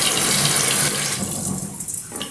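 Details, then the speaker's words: Fluidmaster Universal 400A toilet fill valve after cleaning attempt: steady high hissing rush as water sprays out instead of filling quietly; not fixed, defective valve needs replacing. "okay you just saw have a water spray it might not be fixed yeah it's not fixed because water spraying are together so you only have a choice we have us to go and replace the valve"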